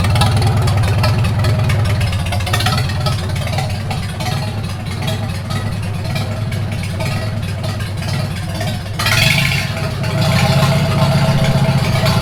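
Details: 1942 Farmall H tractor, hand-crank started after transmission teardown and repair of a scraping/screeching noise and hard reverse shifting, carburetor not yet adjusted: even, steady low putter, no knocks, misses or surging; normal idle.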